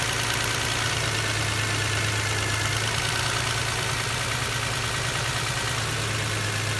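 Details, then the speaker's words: 1999 Toyota Camry Solara 3.0L V6 at idle: uneven, stumbling, lumpy beat with irregular thumps after the number 6 cylinder injector is deliberately unplugged, a test misfire that confirms that injector was firing. "changes because we're causing this car another misfire so we know that injector is firing"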